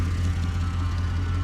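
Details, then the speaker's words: 1999 Holden VT Berlina wagon 5.7L V8, revved while cold, with a constant whine from the power steering pump; leak traced to a steering hose dripping off the rack. "I'll shut that off because that power steering pump sounds dead awful."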